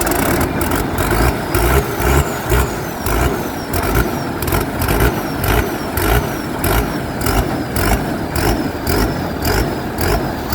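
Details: Rice combine harvester diesel that wouldn't restart after shutting off, running again after the pump mechanic found pressure leaking in the system: steady idle with an even low beat near two per second, no misses or stumbling; runs smoothly.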